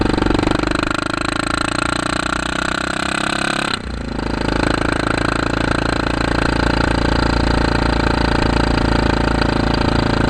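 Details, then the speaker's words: 2008 Kawasaki KLR650 with 3,468 miles, fitted with an aftermarket CZR muffler and pipe via an adaptor, carbs not rejetted: a deep, even single-cylinder thump at idle that dips briefly, then settles back to a steady beat with a throaty exhaust. Normal idle. "At any rate, that's what it sounds like at an idle, and"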